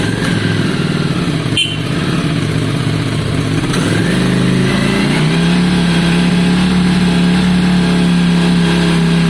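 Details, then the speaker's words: V-twin after some carb work, cold and on choke: lumpy idle with occasional sharp pops and spits, then revs settle into a steadier hum. Spitting mostly goes once warm; cause unclear. "that spitting is interesting because that's something sultans does a lot as well it to be fair it doesn't do that when it really warms up"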